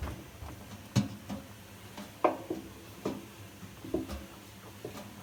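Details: Samsung washing machine: irregular dull thuds about every second from the drum, knock began a year ago after spider (cross-piece) replacement and has grown slightly louder; owner suspects bearings, not confirmed.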